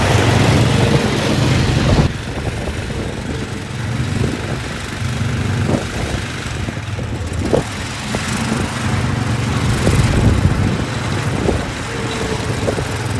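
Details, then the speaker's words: Massey Ferguson 7 lawn mower, long-sitting, running after carb mixture adjustment, driving off; owner thinks it needs piston rings: steady single-cylinder putter with even beat, no misses or knocks; normal running. "that's pretty darn cool let's go see if we can find a little Tall Grass somewhere"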